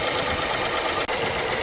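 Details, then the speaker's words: Dodge Charger/Chrysler 300/Magnum 3.5L V6 at idle, recorded from outside: quick, light ticking over the idle, diagnosed as worn rocker arms, fixed by replacing both rocker arm assemblies. "so if your engine sounds like this it is most likely the rocker arms noise like I said that's the most most common on these vehicles"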